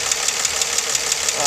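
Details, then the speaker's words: 2004 Nissan Maxima 3.5 VQ V6 at warm idle, fans off, three weeks after timing chain and tensioner replacement: a light, crisp tick about six per second; owner suspects upper valve train, lifters or valve tap, possibly normal for VQ. "to me it sounds like it's the upper valve train whether it's the uh lifters or valve"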